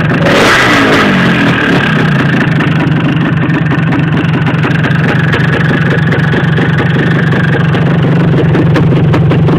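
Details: Yamaha DT400 two-stroke revs up then holds a rough, rattly drone with fast tapping underneath; owner suspects piston slap and lean running, unconfirmed.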